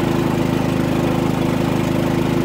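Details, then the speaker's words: Harbor Freight Predator 3500 W generator, about 25 hours, fresh oil and new plug, running a 15K RV air conditioner at 12.9 A, 1560 W, about half load: steady, even drone with a smooth pulse, no misses or knocks; runs normally. "all right now it's running my 15 K air conditioner unit 12.9 amps fifteen hundred and sixty watts this is like a half a load okay"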